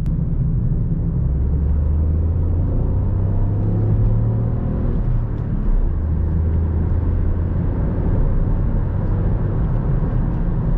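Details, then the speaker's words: Deep steady engine drone with road rumble, revs building smoothly under hard throttle exiting a roundabout in second gear; 2013 Ford Fiesta 1.0 EcoBoost, 99 hp, POV drive; healthy engine note. "i mean i'm pretty sure you guys will be able to hear that but i just think this car sounds so so good"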